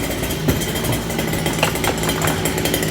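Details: First start of friend's new two-stroke motor: fast buzzy idle with a few crackles, rich blubbery break-in tone, richer than it should be, lots of smoke.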